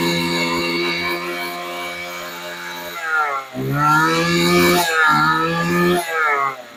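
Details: Old Weed Eater LT7000 15-inch two-stroke trimmer, after backing out its single high mixture screw about a quarter turn: steady fast idle, revs up and drops back cleanly several times, no stumble; runs really good.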